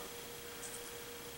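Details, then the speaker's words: Bestline AL-500P milling machine power feed, before repair: faint steady thin hum but nothing turns; motor powered yet stalled, fault in speed-control potentiometer. "plugged in I can feel that it's turned on because it's trying to do something it's got a humming noise to it but nothing's actually turning"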